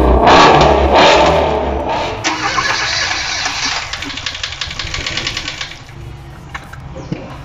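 Engine cranks and catches, runs rough with a light rhythmic tapping, then sags and dies within seconds; a valve is sticking in its guide.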